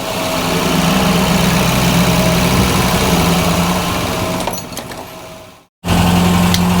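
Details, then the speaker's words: Mk1 Ford Fiesta Ghia 1.1 carburettor barn find, cold engine just started with the choke pushed in, idling around 900 rpm, a bit low, with a steady beat and slight splutter; thought to be a bit choked up. "oh she's running she's running at 900 8 5900 little bit too low there little splotter"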